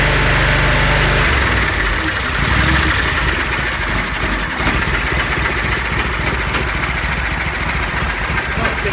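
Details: Kohler 20 hp V-twin mower, repaired no-start/carb backfire, battery jump box attached, full choke cold start: brief cranking, then catches and settles into a steady, even beat without popping or backfire; healthy.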